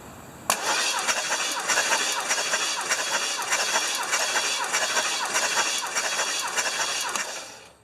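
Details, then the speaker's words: 1975 Lincoln Continental 460 V8, long-parked unknown history, plugs out, compression test on cylinder number one: starter spins engine with regular chugging rhythm and even pulses; about 135 psi, as expected, healthy cranking compression. "that's what we would expect that's good we got like 1 35"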